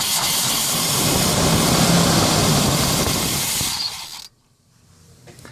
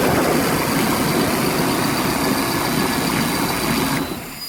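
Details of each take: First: 1990 Chevy 454 TBI V8 in a Fleetwood Pace Arrow motorhome, cold start with starter fluid and weak battery: roars briefly then stalls after about four seconds; pumping the pedal keeps it running. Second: 1990 Chevy 454 V8 with throttle body injection runs strong and steady with a deep even roar; owner reports it won't idle and fails smog, high hydrocarbons, original belts slipping.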